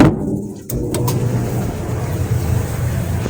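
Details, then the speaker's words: Whirlpool dryer model WED4815EW1 after belt and drum bearing replacement, first run after reassembly: steady low rumble of the drum turning evenly with no squeal, thump or scrape; normal drum rotation. "Oh, it sounds like it's doing things. Oh, it's rotating. Very nice."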